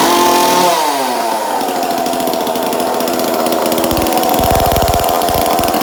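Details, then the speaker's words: 2002 Husqvarna 136 chainsaw just fitted with a new aftermarket carburetor, air filter, fuel line and filter, high/low/idle screws not yet adjusted; after starting it buzzes fast and fluttery, idling well too high on the untuned carb. "So it's obviously revving a little high."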